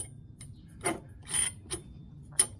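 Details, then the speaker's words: CVT belt-drive clutch on a Briggs & Stratton 5hp mini chopper, spun by hand: a few sharp, light, unevenly spaced ticks from the dry clutch bushing, which lets the belt idle so the bike can cruise. It needs grease. "If you guys hear that, that's this bushing that needs a little grease on it."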